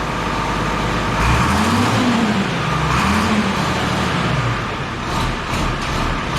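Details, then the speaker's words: IH 1026 diesel tractor, just got running after starter rebuild (wiring still unsorted): steady, even clatter with firm low rumble, no knocks or misses; runs healthy. "Sounds good. Hell yeah. That's it's a good day."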